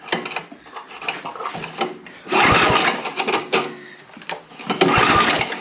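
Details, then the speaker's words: Neglected snow blower with gas poured down the carburetor throat and spark present: uneven recoil pulls with brief pops and clatter, never catches. Cranks but won't start; valve issue suspected. "mean i poured gas right down that old throat hole there with the sparky boy a spark and there's no reason she shouldn't be popping off so we may have a valve issue"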